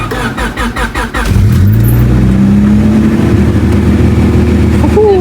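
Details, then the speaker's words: Budget-build car in very cold weather, just after replacing a failed gasket to fix a major oil leak: quick cranking catches in about 1.5 seconds, then even, steady low idle; normal cold start, warming up to check for leaks. "So I'm gonna let this warm up, and then I'm gonna come out and check and see if we're leaking anywhere. But so far so good. Everything's working, starting."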